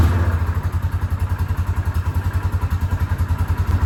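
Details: 2006 Yamaha Rhino 450, possibly low on oil, just topped up and warming: steady single-cylinder run with regular low thump three or four a second; knock sounds softer after oil added, cause unconfirmed, rebuild planned.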